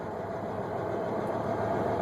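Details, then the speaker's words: Car-hauler truck diesel with the clutch dropped to engage the PTO hydraulic pump for the lifts: steady raised idle at about 950 rpm with a slight even whine from the pump, normal running. "It grinds and engages the PTO, or like the pump, the hydraulic pump lifter, and then you just slowly lift off. You'll hear the engine. There's a slight whine."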